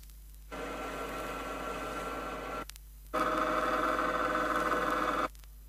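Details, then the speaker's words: 1970 Chrysler rear axle demonstration, pinion moved out 2/1000 inch at a time: two bursts of steady tonal gear whine, the second louder and sharper; improper pinion depth setting causing axle noise, not identical to in-car sound. "It should be stressed that these gear sounds are not exactly the same as the sounds that would be heard inside a car. They merely demonstrate how improper pinion depth setting will create axle noise."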